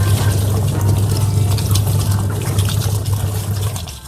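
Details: Washing machine repaired for leaking and rough noise: steady low drum hum with water swishing, no grinding or knocking; running smoothly.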